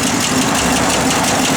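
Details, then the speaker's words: 1972 Oldsmobile 442, 350 ci Rocket V8, factory exhaust manifolds, Muncie 4-speed: steady idle with fast, light puffing tick on one side from an exhaust manifold leak; manifold to be repaired or replaced. "Yeah, you hear that little exhaust leak on this side. We will have that taken care of."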